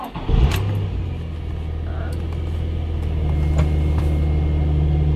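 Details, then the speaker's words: 2003 Infiniti G35 after replacing failed passenger-side (bank 1) camshaft position sensor and clearing codes: brief crank, catches at once and settles into an even idle; the earlier long crank is fixed, check-engine light off. "The car starts up nice and quick, and doesn't take a while to crank, and that's fixed."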